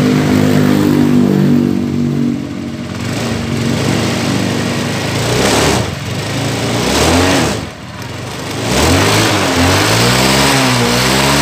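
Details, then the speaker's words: Honda Scoopy after repair of a noisy, vibrating CVT pulley, with new clutch lining: revs rise and fall smoothly with no rattle or judder; the clutch engages cleanly and the noise and vibration are gone. "Bagus sekali ya untuk di suaranya di sini, dan tidak ada lagi getaran di bagian di sini ya."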